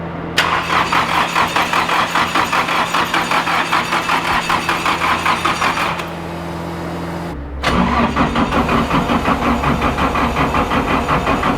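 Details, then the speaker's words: Toyota AE86 drift car with rebuilt engine and new CP pistons, cranking for oil pressure before start: starter turns slowly in an even labored beat about 2.5 strokes a second; slow cranking from small battery and undersized power cables. "it's just the problem is with this car is the um power cables and everything quite small and it's got a small battery and everything like that"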